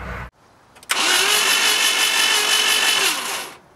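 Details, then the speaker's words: 1988 Jeep Comanche, Renix 2.5L I4, no-start. Spark is present and the distributor spins. Quick, even cranking for about 2.5 seconds with no chug between strokes; it spins freely as if there is no compression (suspected, not yet confirmed). "So if you were listening to the engine, it sounds like it's just free spinning. It doesn't sound like it's making compression."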